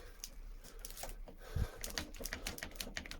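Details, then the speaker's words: Suzuki 1200 Bandit custom, front end stripped, turned by hand: sharp irregular clicks and dull knock from notchy, failed steering stem bearings before replacement. "you hear that? That's just the bearings inside, and that's a fail."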